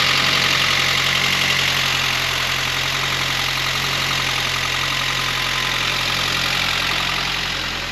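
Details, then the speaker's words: Saab 9-3, first start-up after cooling-system overhaul and belt refit, with low oil pressure being diagnosed: engine loud and busy with sharp ticking clatter over steady idle, quieter than the previous start, no oil pressure light; cause not yet pinned down. "So obviously it started off pretty loud, and it is still a bit loud, but there's no oil pressure light on the dash, so I'd like to think So I mean it sounds pretty well."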